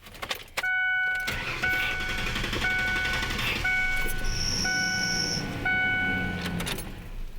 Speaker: told that could either be my tensioner or my belt what do you think Brian Sam good question now I didn't hear the voice of that squeal for very long but there are definitely some basic things you need to check